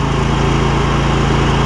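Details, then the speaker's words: John Deere L120 lawn tractor, about 2005–06: steady, even low-pitched V-twin putter with a smooth firing beat and no knocks or misses; idles cleanly, runs well despite front-end and wheel bearing issues. "You see, it's running good."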